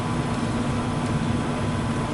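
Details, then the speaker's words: American Standard 90+ gas furnace with a no-heat call, previously fan blowing but igniter not glowing; on a call for heat, the exhaust inducer fan starts with a steady, even hum over a low rumble and runs normally. "Turn it. Alright, so exhaust fan motor's coming on."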